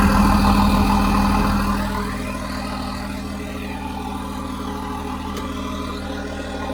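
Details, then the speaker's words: Complete take-out JD6081H diesel from a John Deere 300D articulated dump truck, 10,739 hours, being parted out for differential issues: steady, even idle with smooth low drone, no knocks or misses; runs great. "must have that exhaust gas thing, but it runs great."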